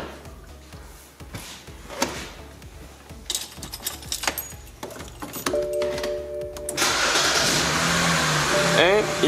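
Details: 2006 BMW 325xi (E90) with no-crank no-start, after replacing the EWS/CAS relay: quiet clicks, then engine catches and settles into a steady even run; normal start.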